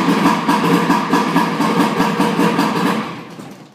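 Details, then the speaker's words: Old 55 Evinrude outboard started after 3 months sitting, taking a few key turns: an uneven chuffing beat catches and runs, then fades as it is shut off; a normal slow start for an old engine. "once you hear that the engine starting to like kick that's when you know it's going to start so that's what's happened here"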